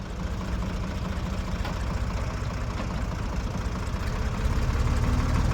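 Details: 1973 Ford 4500 industrial diesel backhoe, revived from scrap, digging stumps at end of a working day: even diesel chug building smoothly as throttle is added, no knock or miss; machine ran great all day.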